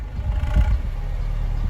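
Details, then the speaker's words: Honda City on CNG after replacing one leaking injector that made it stall on gas: brief throttle blips pick up cleanly with no stumble, then settle to steady low idle; normal revving. "ตอนนี้ก็ไม่มีความโดดดันแล้วเครื่องก็นิ่มแล้วโอเคครับค่อยๆเร่งหน่อยครับเร่งให้ผมหน่อยครับโอเคเร่งเลยอีกทีครับขออีกทีครับ"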